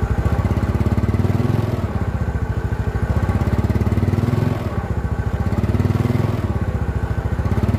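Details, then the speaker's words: Yamaha Mio Sporty scooter before repair, hesitating (mbrebet) when pulling away at low rpm: putter keeps sagging and dipping every few seconds before recovering; carburetor slide vacuum hole too small. "ini kita dapatin motor Mio ini punya masalah mbet di tarikan di putaran bawah nih guys"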